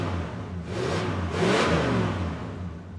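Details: 1966 Ford Country Sedan wagon, first cold run in 30 years after minor overhaul with new timing chain and fresh oil, no muffler, a glass pack or long resonator: clean blip up and back down, loud open exhaust, no knocks or rattles; healthy rev.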